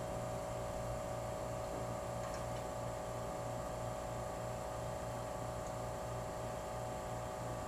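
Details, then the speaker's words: Old GE Monitor Top CK-2-C16 refrigerator compressor on three cans of R152A, evaporator getting cold at about 175 PSI high side: low steady hum with soft even pulse, no rattles; motor load going down; normal running. "Notice the load on the motor is going down. That's encouraging."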